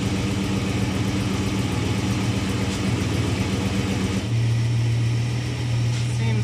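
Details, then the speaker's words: 1937 Chevrolet just started, before an oil change (oil probably about 15 years old, completely black): fast, even idle held above normal, no misses or knocks; idling a little high, owner plans to adjust it. "Seems to be idling a little high, so I'm going to play with it."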